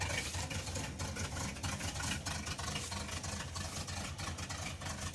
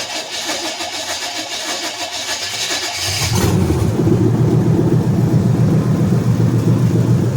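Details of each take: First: 355 V8 (formerly in a Monte Carlo), now installed in a farm truck, running at idle with an uneven, stumbling beat and dropped pulses; missing pretty bad, doesn't sound like it used to. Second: Monte Carlo V8, loud exhaust awaiting headers: cranks and catches near three and a half seconds, then a loud, deep, even idle with steady pulses; healthy start and idle.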